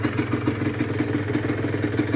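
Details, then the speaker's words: Rebuilt Honda NSR150SP two-stroke warming at idle: fast, even rattle about five clacks a second from the worn original clutch, quieter with lever pulled in; cylinder noise also remains. Clutch rattle at idle. "นะมีเสียงคลัชดังนะครับคลัชเดิมังใช้เป็นเป็นคลัชเดิม"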